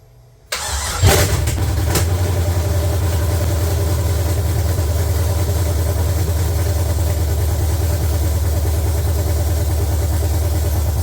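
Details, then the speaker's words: LQ9 V8 swapped into a BMW E36, first start after the build, open headers, no coolant yet, oil pressure light off: short crank, catches and settles into a loud, deep, lumpy rumble at steady idle; running normally. "okay uh I'd open the door I don't want to gas myself out she runs she runs"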